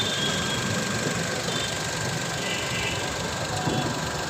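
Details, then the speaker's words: CNG engine after knocking repair, just restarted: smooth, even idle, steady hum with no tapping or knocking; normal healthy idle. "Check कर सकते हैं आप sound सुन सकते हैं आप गाड़ी स्टार्ट है साउंड बहुत अच्छा है गाड़ी"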